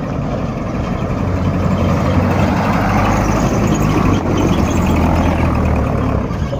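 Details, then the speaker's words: Petrol engine just restarted after a full rebuild, idling steadily with a faint, rapid puffing tick from a small exhaust leak. The exhaust part was due to be replaced or machined. "Tenemos una fuga de escape por acá. Vamos a observar que hay alguna fuga de escape, ya que esto se tenía que mandar a cambiar o a rectificar, pero igual. Se escucha como que una fugita, ¿verdad?"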